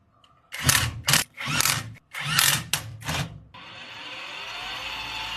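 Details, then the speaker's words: Electric tricycle drive motor reinstalled after new differential fitted, wheels off: after some clatter, smooth, even whine of steady pitch without grinding or knocking; motor sounds normal. "电机装上去，直接运转了一下，这个声音挺正常的。"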